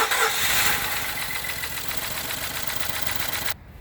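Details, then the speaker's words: 2016 Ford F-150 with check engine light and rough running, about 20,733 miles; during a wide-open-throttle cranking compression test the starter cranks at roughly 230 beats a minute with an uneven lope, and cylinder 3 reads low on compression. "you hear we can hear that we have a compression issue on the car you can hear that or not and it's going to give us our results and it's going to tell us that cylinder 3 is in fact 3 percent lower than the other cylinders"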